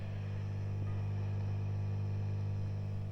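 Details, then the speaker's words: 1971–73 Vox AC30 Top Boost Reverb amp, about 50 years old, powered on with no note played: loud, steady low hum; worn filter caps, only 16 µF where about 47 µF are needed; mains hum. "the Caps are a bit underrated on these they're only 16 microfarads and really they need to be about 47 so you'll get a bit background home but these caps will be tired this amp's 50 years old now"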